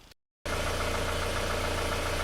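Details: Before repair of a 2001 Isuzu Panther diesel with blow-by (ngobos), heavy smoke and a rough piston noise; compression read 23 bar, still above the limit. Rough idle with a regular hollow knock each cycle over a heavy chug. Piston slap with blow-by; later fixed with new pistons and rings.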